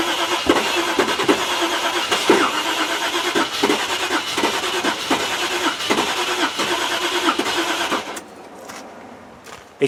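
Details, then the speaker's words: Range Rover that cranked with fuel flowing but wouldn't fire, now with a wire run straight from the battery to the ECU: uneven cranking with weak catches that never fire; owner suspects it is flooding. "it sounds like it's flooding god it's so close innit i think that's its problem though"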